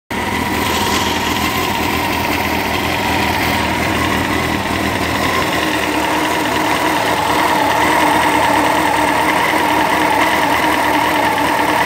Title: Honda cbr 954 rr, engine weird noise